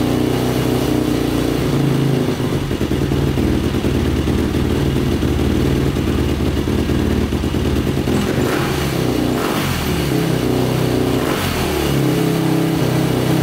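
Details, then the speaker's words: 2005 Yamaha YFZ450 big-bore single after rebuild, restarted after fuel tap likely left off: idles evenly with a couple of quick blips, no knocks or rattles; sounds healthy though the pipe glows red hot. "but um it sounds good runs good"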